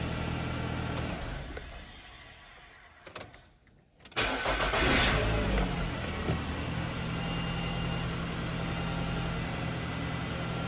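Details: Nissan X-Trail T30 QR25 after fixing hard starting and P0335 crank sensor/circuit code by reinstalling the timing chain (crank and cam sensors already replaced), no codes: after a quiet spell it cranks, catches at once, settles into steady even idle; healthy start.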